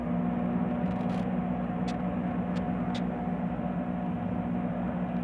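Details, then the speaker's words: Midea MTA E21 microwave after repair (blown high-voltage fuse replaced, shorted board removed that caused a terrible noise): even, steady low hum with no rattle or buzz while heating; normal operation. "aí eu tirei aqui e liguei e ele funcionou normal sem zoado algum"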